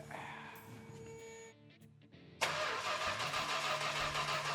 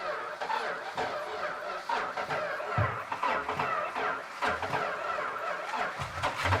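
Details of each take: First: Petty Blue Plymouth Superbird, 440 V-code, untouched and not run since the 1970s, not yet primed with fuel: quick, even, regular starter cranking, engine spins freely without dragging. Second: Superbird 440 V8, not run for about 40-50 years: uneven cranking several seconds, then catches and roars about a second and a half before dying, fuel poured in by hand; it runs but catches fire.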